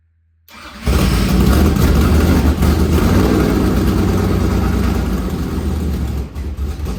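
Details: Dad-built carbureted V8 on a borrowed carburettor, with headers and timing light hooked up: fires instantly and settles into a loud, even, lumpy rumble with steady firing, no knocks or misses; normal running.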